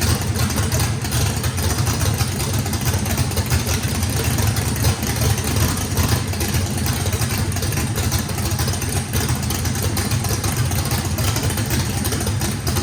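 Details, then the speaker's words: Drag race engine with radical camshaft (big overlap and lobe separation) on first fire-up: deep, loping, choppy idle running steadily, needing lots of throttle (blade about six percent open); normal lumpy idle. "all right guys fire in the hole fire in the hole sounds good uh this motor i think has the overlap and the the the valve lobe separation on it makes that thing uh had to put a lot of throttle in it"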